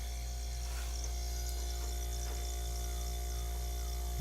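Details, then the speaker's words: Magic Chef mini deep freezer after replacing faulty compressor starter relay: smooth, even low drone, no knocks or rattles; compressor running normally after repair. "since we have everything plugged in because a turn oh dear though you can hear the compressor running"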